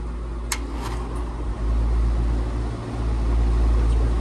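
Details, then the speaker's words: AC condenser on a Nest thermostat system with no C wire and a chattering contactor, here jumped out with alligator clips: a steady, even compressor and fan hum with no chatter; normal running. "this only because I have it jumped out okay so when I go upstairs and take my alligator clips off it will stop running right"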